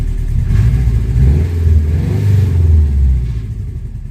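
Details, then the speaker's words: 1998 Subaru Forester S, first start after timing repair, a bent valve feared but unconfirmed: deep smooth rumble swelling with a light rev and settling cleanly, no rattle or slap, nothing leaking; engine sounds healthy. "It sounds okay, honestly. It sounds healthy."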